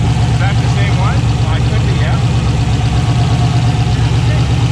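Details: 6.0 turbo LS V8 swapped into a Foxbody Mustang at first start: deep, lumpy idle with an uneven stumble in each beat, one cylinder dead so it runs on seven; needs tuning.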